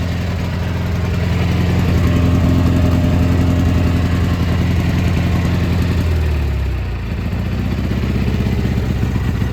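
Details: Gravely G-16 tractor, roughly late-80s/90s, not run in a few years, on its own fuel, driving: even thrum drops in pitch under load and recovers smoothly, no knock or stumble; runs pretty good, smokes a little.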